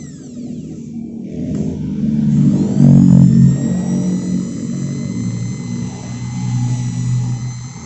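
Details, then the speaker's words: Maktec 10mm drill (MT60 series) at lowest speed after tightening the four middle body bolts to fix rough growl and overheating: smooth, even hum, steady pitch, no growl or rattle; drill repaired, running normally. "Nah, di RPM rendah atau di speed yang paling lambat. Suaranya sekarang udah enggak terdengar ngorok seperti tadi ya, Guys. Dan ini udah enggak bakalan cepat panas seperti tadi lagi."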